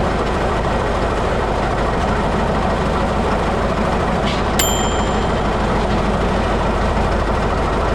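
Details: 1941 Caterpillar dozer, sat for a few years: even, low diesel chug at a steady idle with no knocks or misses; it will only idle so far, needing more fuel once that stuff is cleaned out.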